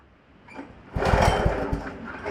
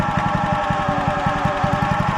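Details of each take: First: Wacker WP1550 plate compactor after repair and re-torquing: engine revs up in two surges and plate hammers in a fast, steady rattle; clutch engaging and compacting properly, though a bearing with some play may need attention later. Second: Wacker WP1550 plate compactor bought at auction, running over mud and stone: fast, steady pounding thumps over engine drone with a faint ringing whine; it bogs in mud, and owner suspects a worn bearing is making the noise.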